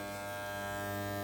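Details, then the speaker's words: Andis T-Outliner trimmer after the blade was reset and the screws retightened: smooth, steady buzz with no rattle or chatter, the right vibration; running evenly and quietly as it should. "Well, Lord, this is the right vibration I get now. Now back and nice. The right vibration, this for how you can use the machine."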